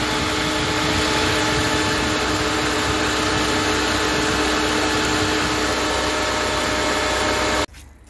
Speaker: right I just had to switch the engine off because the fans would not stop even though I plugged the switch back in